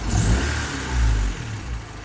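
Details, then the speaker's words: Honda D16Y8, timed 16 degrees with P28 ECU, after replacing a cracked exhaust manifold with a new DNA Motoring header and resealing the cat-to-downpipe joint: smooth rev sweeps, deep even exhaust, no ticking or leak; normal revving. "Idle is idling fine. Revs fine. And no more loud ticking sound either. So everything seems to be good on this engine right now."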